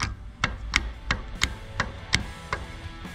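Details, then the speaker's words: Old starter from a Briggs & Stratton 19.5 hp opposed-twin lawn mower engine, gear rocked by hand: sharp metallic clicks about three a second from excessive bearing play; Bendix gear lost flywheel contact and shredded its teeth. "so this is why the gear here the bendix were bad see all that play in the bearing you probably hear it"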